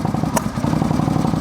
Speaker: that's a vacuum leak uh-huh look now it's idling right not spitting and sputtering